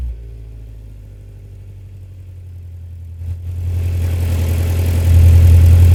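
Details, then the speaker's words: Toyota Previa with a newly installed muffler, revved: deep, loud, throaty exhaust note, raspier than stock, with a small leak left at the muffler weld where the welding wire ran out. "still got a little leak still got a little leak up here where I ran out of weld so I'll have to get some more uh welding wire and uh I'll have to get this thing hung"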